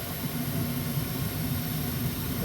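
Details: Old ICP gas furnace in a rental house, running on heat with a failed fan timer board temporarily bypassed by jumpered spade connectors; steady, even low roar of burner and blower with no clicks, knocks or cycling, running normally.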